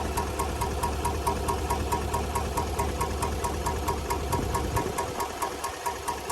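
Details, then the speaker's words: 2019 GMC Sierra 1500 5.3L V8 at idle: sharp even tapping a bit over two per second, lifter tick tied to the AFM/DOD active fuel management system; can bring check engine and traction control lights with misfire codes. "This is a 2019 GMC Sierra 1500 with the 5.3. And this is going to be a lifter tick."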